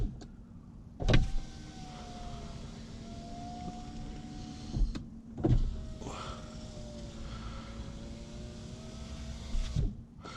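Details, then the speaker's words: Saab 9-5 power window after overnight silicone lubrication of channels: even motor hum each travel with a few soft ticks as glass unseals; ticking normal, present since new; window runs smoothly. "don't worry that sticking noise is normal is this has done that since Brandner"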